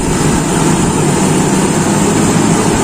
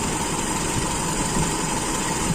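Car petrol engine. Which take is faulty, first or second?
second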